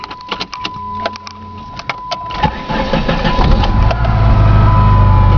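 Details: 1990 Dodge Daytona ES Turbo 2.5, stock, automatic, 108k miles, rebuilt top end, bone-cold start: a few clicks and a chime, then the engine cranks, catches and settles into a steady, even idle; healthy cold start.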